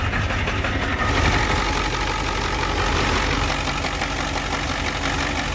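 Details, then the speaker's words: 1990 Ford F Super Duty 7.3 IDI diesel, cold: uneven, lumpy clatter with irregular knocks about three a second, clearing up with some rpm; rough idle, owner suspects leaking injectors, later replaced. "so it is a little rough at idle I think this is rougher and it's supposed to be probably because the leaking injectors so you see it clears up with some RPMs"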